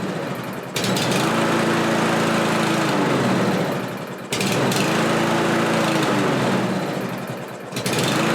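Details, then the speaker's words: Kohler engine lawn mower after carburetor replacement: speed swells and sags about every three and a half seconds, hunting instead of holding idle; suspected not getting enough fuel, metering screw on new carburetor to be adjusted. "okay well as you can see it's hunting up and down there but there is a metering screw on the side of that carburetor that wasn't there before"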